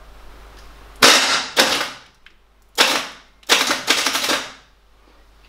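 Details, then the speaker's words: 1975 Chevy K5 Blazer on a fresh battery after sitting 12–13 years. Harsh metallic starter clatter in bursts and the engine never catches; the seller had said the starter was faulty. "as you can hear something is wrong with the starter and that's bringing me back to when I started when I talked to the guy I bought it from and actually he said that there was something wrong with the starter"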